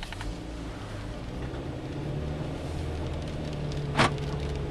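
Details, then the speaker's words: Jeep Patriot pulling out of a driveway over a storm-drain bump: low road hum, then one sharp clunk as the wheel rolls over it; suspension knock, source not yet found. "I over there's where I should hear that noise here we go and it's sort of a knocking"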